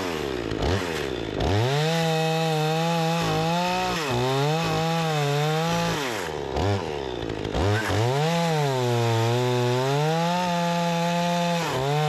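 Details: Repaired Remington 46cc two-stroke chainsaw with sharp chain cutting wood: crisp high whine drops a little as the chain bites and snaps back up between cuts; strong and responsive, healthy engine under cutting load.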